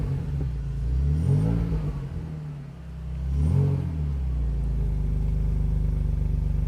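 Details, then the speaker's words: 2001 BMW Z3 Coupe salvage car, 87,000 miles, after repairs and part replacements, 2x4 wedged so the belt misses the fan: starts at once, revs rise and fall twice, settles into a steady idle with a mild burble; normal start and idle. "running good sounds good D has a little burble to it"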